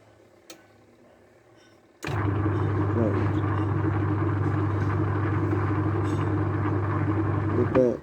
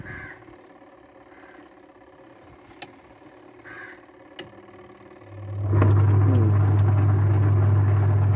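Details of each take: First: Washing machine wash motor with the selector switch on strong/normal, timer on: the motor starts on its own without a hand spin and settles into a steady low hum with no stalling; the start capacitor is now OK. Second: Washing machine wash motor with the selector on normal and timer working: a faint hum while power is supplied, but the drum must be spun by hand before a steady low motor hum builds; weak start capacitor.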